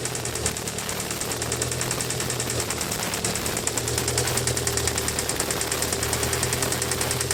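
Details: Mitsubishi Evo 4G63 at idle after the lifters were replaced: it runs quietly for a while, then a fast, uneven tick-knock of about three per second starts again over the engine; source not pinned down.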